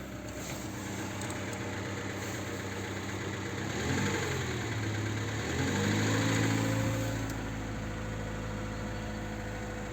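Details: VAZ 2107 engine at idle: a brief rev blip midway, with a dull repetitive knock riding on the engine beat, source unclear; engine knock.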